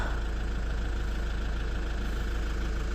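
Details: Lexus IS220d diesel after cleaning and refitting the EGR valve that caused limp mode: a steady, even idle clatter at about three beats a second with no stumbles. No codes, drives normally; normal idle after repair.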